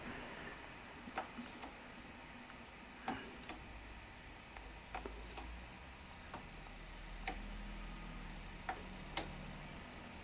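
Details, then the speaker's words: Sony SL-330 Betamax VCR in playback: irregular light tape slapping, roughly thirty a minute, over quiet motor hum; supply side feeding tape but take-up side not taking it in fast enough, picture disturbed. "There's tape slap. It's slap, slap, slap. And as it's doing that, this is what's happening with the picture."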